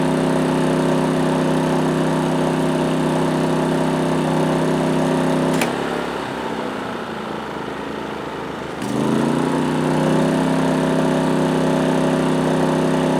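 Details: PowerSmart 2350W inverter generator as an 850-watt toaster is plugged in: drone dips and wavers when load comes on, then settles and climbs back to an even, stable run; normal load response.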